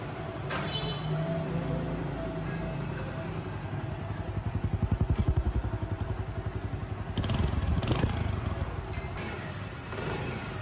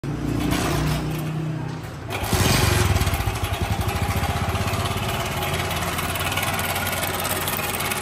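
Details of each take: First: Honda CD 70 engine after timing chain replacement fixed engine noise: small single ticks at steady, even idle with no chain rattle or clatter; sounds healthy. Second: Honda CD 70 70cc motorcycle single idling: fast loose metallic clatter on each beat, about three to four per second, from a worn slack timing chain; fixed by replacing timing chain.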